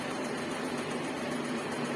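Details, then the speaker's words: Karimun Kotak carbureted car after a radiator flush and fan-motor carbon brush check: steady, even whir from the electric radiator fan, no scraping or wobble; it runs about 40 seconds then stops, cutting in again at 80°C. Normal operation. "dinamonya berfungsi dengan baik, pendinginan berjalan dengan normal. Ini kipasnya hidupnya sekitar 40 detik, kemudian kipas akan mati."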